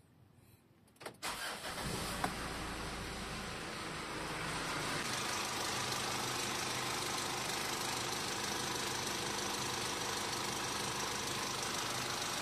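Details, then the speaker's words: Mitsubishi Montero Sport diesel started after fitting a new genuine air filter element: cranks, catches and settles into a steady, even idle with no knocks or rattles; no problem found. "Ayos guys, wala tayong problema."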